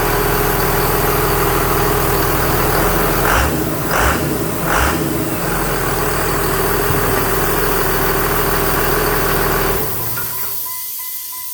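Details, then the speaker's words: 2001 Dodge Ram Cummins turbo diesel in a 1952 Dodge M37, starting quickly after the fuel pump primes: a deep, steady rumble with a few louder bursts, winding down at the end; a healthy normal idle. "So although wiring's a bit of a mess, it turns on pretty quick."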